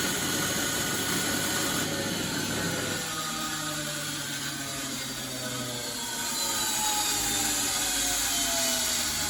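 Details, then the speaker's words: Bosch WFF1401 washing machine after motor bearing replacement, back panel loosely in place, fast spin: loud rushing roar with whining tones drifting in pitch; sounds rough, separate unexplained noise from the front, cause not pinned down. "So I would say that sounded pretty rough."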